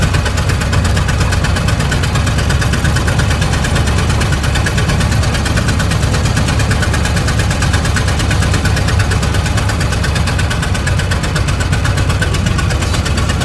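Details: 1920 Ford Model T barn find, sitting about 10 years, first start: heavy, uneven, lumpy chugging, running on only one or two cylinders. Stuck valves and low compression on one cylinder; the timing is being adjusted.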